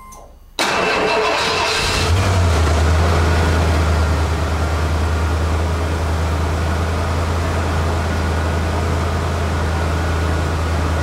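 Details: 1991 Ford F-250 5.8L 4x4, off the road two years, with a reportedly stuck Borg Warner 1356 transfer case (engine had idled at 1,500–2,000 rpm): fires and settles to steady even hum, drives off with no grinding or clunking; transfer case works.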